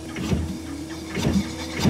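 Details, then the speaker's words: Used refurbished replacement engine for a 2018 Nissan NV3500 van during a compression test: steady cranking with strong, even compression strokes, about two puffs a second, reading 200 PSI at 200 RPM; this cylinder holds good compression. "big difference also hear how much force you can hear how much more force that hole's got to it 200 PSI at 200 RPM yeah so we're right about there"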